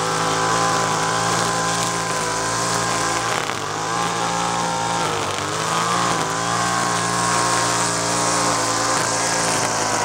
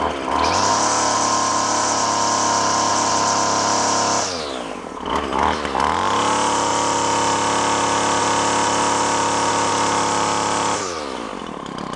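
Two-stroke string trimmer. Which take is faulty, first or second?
second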